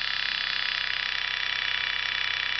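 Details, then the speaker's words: Sukhoi SU-26M RC plane engine running: steady high-pitched hum with a fast, even pulsing; abnormal humming noise, with the prop seen running lopsided when viewed from the side. "that humming noise? Mm-hmm. Yeah, that noise right there. That's the problem."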